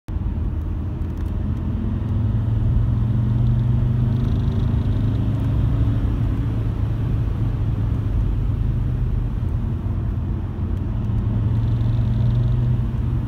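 Low droning rumble with a humming tone that swells as the car pulls; a vibration under acceleration, cause not clear.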